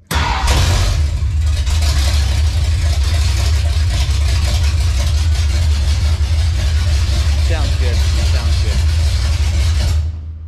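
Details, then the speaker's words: 1956 Ford F100 with big block 460 V8 fired for the first time, cam broken in: catches quickly and settles into a deep, steady, even rumble; normal start and rev, sounds healthy and strong. "all right that's it on the big block 460 she's fired up we broke the cam in it was giving us a little bit of a struggle but we got her handled"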